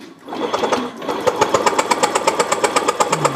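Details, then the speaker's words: Fuel-injected motorcycle brought in dead: rapid even cranking chatter, about 2.5 pulses a second, never catching; faint spark, mechanic shocked by leaking plug cap, cap to be replaced; weak-spark no-start. "nyetrum pisan mas bro ini itu itu noh keluar kan memang samar itu loh noh keluar itu loh"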